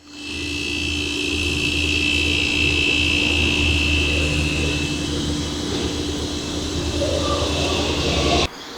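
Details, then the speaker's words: Refrigerator (compressor wouldn't turn on, fridge lukewarm) after replacing the compressor start relay: three beeps, then compressor starts at once with a steady low hum and faint whine, runs evenly, cuts off cleanly; healthy. "i hear three beeps and the compressed compressor started right up"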